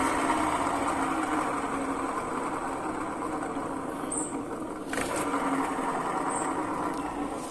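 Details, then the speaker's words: Honda Vario 125 LED New scooter CVT: very rough, gritty rasp over the engine note that grows louder as revs rise; problem located at the rear of the CVT, worn driven (rear) pulley bearing causing the grinding. "sipt-nya itu bunyi Kasar banget apalagi kalau e dia putarannya semakin kencang maka bunyinya semakin keras juga nah untuk permasalahan seperti ini ini biasanya terjadi di bagian belakang ya"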